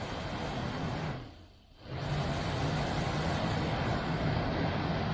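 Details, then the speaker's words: 1969 MGB heater blower motor, bench-run after oiling; a thin whine starts on the steady motor hum as oil works up the shaft, suggesting a dry shaft bearing. "as the oil was working its way up the shaft, it started whining at me."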